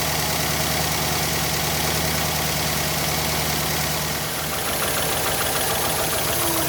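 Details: 2010 Chevy Silverado half-ton 5.3L V8, nearly 350,000 miles, after new spark plugs for a misfire (electrodes burnt off): steady, even rumble settling into a smooth idle with no stumble or surge, running normally.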